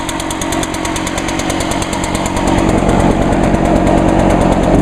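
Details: 2011 Echo PB-500T blower, two-stroke, used all winter, one-pull start after choke and five primes; crisp crackle building evenly as revs climb, no hesitation or sputter; runs clean and healthy.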